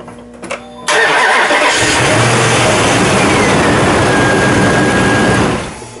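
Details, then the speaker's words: Ram 1500 5.7 Hemi V8 with discharged battery (7.39 cranking volts), jump-started with Pilot InstaBoost in boost mode: starter spins briskly and engine catches almost at once, running strong and even; normal cranking and start. "it. Okay, it definitely worked."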